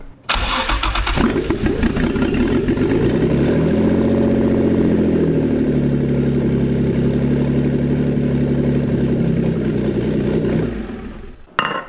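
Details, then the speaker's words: Built Greddy twin-turbo (18G) G35, first start after fixing a fuel leak: catches, revs, settles unevenly and dies after about ten seconds. AFR climbs very high; running lean and stalling from low fuel pressure. "Still dying. Still, AFR is getting super fucking high."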